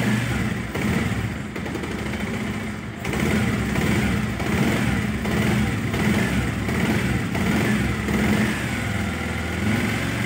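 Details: Bajaj Pulsar 125 BS6 single-cylinder idle wanders, dipping and recovering unevenly; RPM fluctuates; scanner connected for fault codes, fuel system lines suspected blocked, fuel drained for water contamination; cause unconfirmed.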